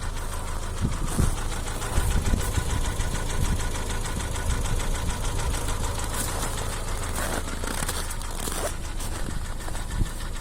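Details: 2015 Hyundai ix35 (X35) crossover, 2.0 engine, automatic, 4WD, 110,000 km: steady rapid ticking knock over a low idle hum; engine knock, source unknown.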